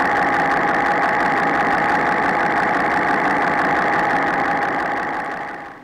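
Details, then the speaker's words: Porsche flat-six (986/987/996/997) at idle, listening on the bank 2 cam cover. Steady idle with a sharp, even tick about four times a second over the top end, the noise expected from scored cylinder bores; bore scoring. "So now that you've got to experience listening to the lifter noise or the cylinder bore scoring noise, both underneath the cylinder head at the most amplified position, then just underneath the cylinder where it's kind of the most raw condition"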